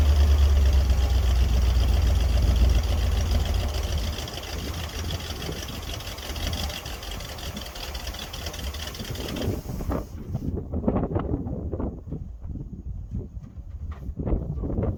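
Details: 1961 Dodge C800 ramp truck with a 361 Chrysler big block V8 chugging at idle with a heavy, uneven thump, roughly 220 a minute, more diesel-like than smooth. Cause suspected, not confirmed. Rough idle.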